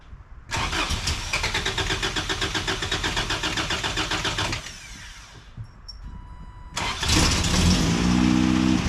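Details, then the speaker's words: 1988 first-gen Toyota 4Runner, cold start: long cranking at about four pulses a second before catching, then an uneven, unsteady idle. Hard cold start and rough running; owner suspects the cold start injector, and says it runs okay once started. "I think there's something wrong with the cold start injector. Seems like a good place to start. Doesn't like to start up cold, but once you do get her started, she runs okay."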